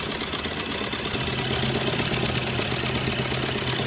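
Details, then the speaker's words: Maruti Brezza diesel after engine refit and injector nozzles bled; steady even idle with light regular injector clatter and no heavy knock; formerly very loud, now quiet and normal. "Okay, पहले आवाज़ बहुत करती थी ये, अब तो शांत है गाड़ी की आवाज़।"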